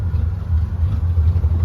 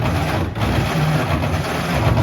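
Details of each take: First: 1934 Plymouth Standard 6 flathead, started after retarding the timing, now idling on its own with a deep steady thumping beat and slight unevenness; clutch slips a little, charging, fuel and oil pressure present, 185 degrees. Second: 1934 Plymouth Standard 6, key on, choke engaged, fuel in the glass filters: slow steady starter cranking with even low thumps that never catch; cranks but no start, points to be cleaned next.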